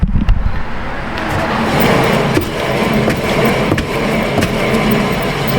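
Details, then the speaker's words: Honda HR-V wheel spun by hand after a brake job: steady gritty grinding rumble from the bad wheel bearing, unlike the opposite wheel where only brake pad contact on the rotor is heard: worn wheel bearing. "hat one obviously that bearings the bad one now come over here let me set you down very gingerly oh this one's okay so I don't hear bearing nois you know you hear the brake pad hit the rotor but certainly sounds different"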